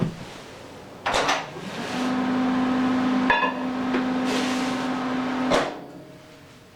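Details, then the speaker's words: Kenmore microwave from Sears heating water: steady low hum with fan whoosh between clunks, then stops; it runs with the door open and often fails to run with it closed, a door interlock fault. "It has an interesting feature. It works just fine with the door open."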